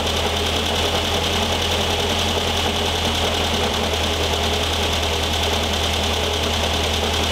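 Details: 1973 VW Thing type 181, sat for years, runs after revival: steady idle with rough uneven rattle and whirr from the fan shroud; owner feels a foreign object in the cooling fan housing and plans to remove the belt.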